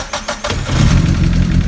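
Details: Mazda MX-5 on a Haltech Platinum ECU after a 36-2 tooth crank sensor timing sprocket was installed and the ECU rebooted: a few cranking chugs, then it catches and settles to a steady low idle without popping. Normal start and idle.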